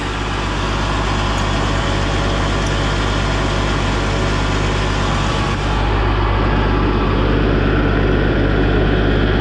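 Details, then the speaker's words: Tractor 1550 after hydraulic pump replacement and used relief valve fitted, diesel idling evenly with loud rushing hiss that cuts off; relief valve blowing normally, pump now generating pressure at idle, which it couldn't before; relief to be set to 2000 psi. "nut it was nice to hear that relief flow cuz that means uh it's generating pressure it couldn't do that in an idle before"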